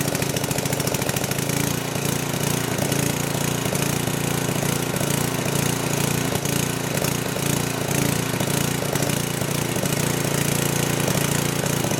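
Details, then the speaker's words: Old 10 hp gasoline generator converted to propane using a cheap eBay LP regulator, governor spring tension reduced: engine speed rises and falls irregularly against the idle, a galloping, hunting governor; owner unsure of the cause, thinks it needs tweaking. "it's going to take some sort of little tweaking to get this tonight gallop like that"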